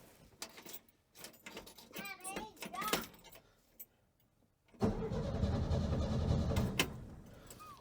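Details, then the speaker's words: 1968 GMC C1500 truck, sitting 17 years: starter spins the six-cylinder over with an even, steady beat and no lopsided gallop, suggesting even compression and no dead cylinder. "It does it. It spins, Skylar. And it didn't sound like it had too much of a gallop going to it, which generally, if you have that, it usually means that you have a dead hole."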